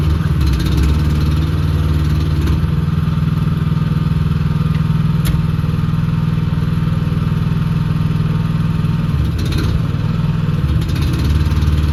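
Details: New, unused 2024 AGT L13R cab mini excavator: deep, steady diesel thrum at constant speed with an even beat and no clatter or misfire; normal running.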